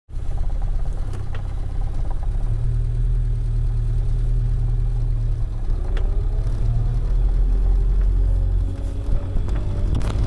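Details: Laser turbo overboosting to 10 psi instead of 7 psi and running rich: deep drone building under load then rising tones with revs; lumpy rich running, later blew a vacuum hose off the manifold.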